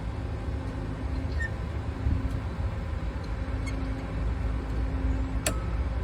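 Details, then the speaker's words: Traffic signal cabinet inspection: one crisp click over steady background rumble as the cabinet over-temperature thermostat is turned past its threshold and its relay switches over, triggering an over-temp alarm to the controller; normal operation. "As I turn to that point, you should hear it click over on the over here. This is one of the relays."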